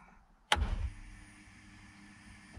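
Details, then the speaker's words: 2007 Chevrolet Colorado 2.9L during Passlock security relearn after ignition switch replacement: relay click at key-on, then a faint steady whir for about two seconds that cuts off cleanly, the fuel pump priming; engine still won't start. "we now have the fuel pump but still no start"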